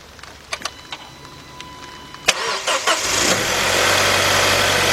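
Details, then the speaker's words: 2005–2009 Audi A4 Quattro 2.0 turbo, start after rear timing chain and tensioner replacement with five quarts of oil: a few clicks, a quick crank and catch, then an even, steady idle with no knocks or rattles. The original noise appeared when warm; owner suspects oil pressure or thinning oil. "all right it sounds really really good um we got to do it let it run for a while"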